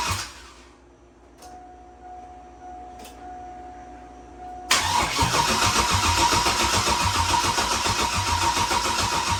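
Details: Turbo Silverado V8 tuned on E85, start after rebuild with new gapped rings and ARP rod bolts following #7 ring land failure: fires at once, settles into even steady idle without misfires or knocks; normal start and idle.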